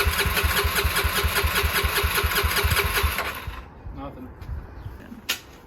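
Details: 1989 Honda NX250 after restoration, first start attempt with a still-messy carburettor: steady starter cranking at about two and a half pulses a second that never catches, then stops; fuelling fault from wrong carb jets.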